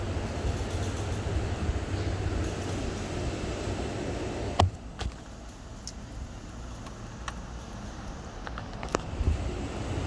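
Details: 2021 Chevy Tahoe while driving: low cabin road rumble with a few sharp, irregular metallic clicks. The dealer twice failed to fix it, blaming dust in the rotor and then a pipe. The noise persists.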